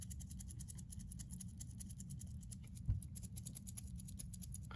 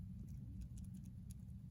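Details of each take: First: Brand-new Rolex Oyster Perpetual 41 mm ref. 124300 steel bracelet shaken: rapid, irregular light metallic clicks over a low room hum. The bracelet rattle is judged poor, like on a cheaper watch. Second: Owner's Rolex Oyster shaken hard: only a few faint, light clicks and no rattle; it stays quiet compared with another 124300 that rattles.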